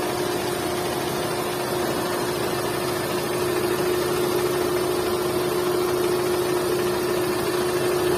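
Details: Hyundai Santro 1.1 L petrol engine: steady mid-pitched whine over the motor, holding pitch as engine gets louder; cause unclear; engine whine.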